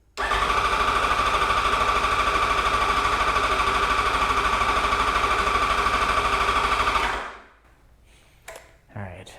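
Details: 2008 Yamaha FZ1 with new oil/water pump and clutch, cranking with code 12 set (believed to be the crank sensor disconnected) to prime oil pump, oil topped to full: strong even cranking about three beats a second for seven seconds without catching; starter spins freely.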